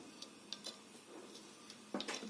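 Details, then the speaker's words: Hard drive shucked from a Seagate Desktop Expansion enclosure, connected through a powered USB 3 dock: light, uneven ticks and clicks while spinning up, with no smooth spin hum; owner suspects something wrong with the disc. Hard drive clicking on spin-up. "and it doesn't look like we're going to have much luck here it sounds a bit wonky like there might be something wrong with the disc"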